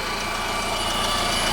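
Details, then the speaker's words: 2015 Honda Civic 1.8, 73,000 miles, Texas car, during an oil change: smooth even idle with a steady hum, no ticks, knocks or misses; no leaks and the engine runs clean and sounds really good. "but we do have it running here no leaks and engine sounds really really good nothing leaking anywhere"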